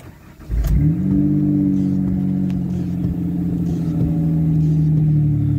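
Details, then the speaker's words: 2001 Ford Escape XLT 3.0 at startup: cranks briefly, catches, then settles into a steady, smooth but slightly low idle around 1000 rpm with no knocks or misses; owner is unsure whether this is normal for these motors. Low idle. "i have noticed it's got a little bit of a lower idle i'm not a huge fan of where it's sitting yeah see now it went down to a thousand that might just be common for these forwards motors i'm not too sure"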